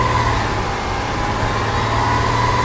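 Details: 2003 Subaru Forester with P0032/P0037 oxygen sensor codes, at idle on a scan tool with lambda near one and closed loop reached quickly: steady, even idle with a smooth low hum, no knocks, misses or hunting; normal idle.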